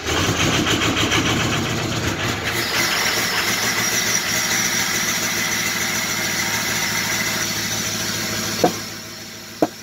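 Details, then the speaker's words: 2005 Ford F350 6.0 diesel flatbed, cold start: long, even cranking before it fires and settles into a steady clattery idle; crank seems too smooth for a bad cylinder, cause not confirmed. Long crank on cold start. "The crank's too smooth to have a bad cylinder, it seems like. That's not working right now. It sounds too good to have a bad engine."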